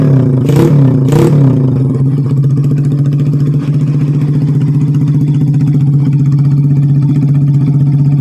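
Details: Yamaha Vega R bored up with oversize 450 Kawasaki Kaze piston and higher compression, after replacing the conrod: a couple of quick blips, then a smooth even hum with a steady low note, no knocking or rattle; smoking cured, rough sound normal.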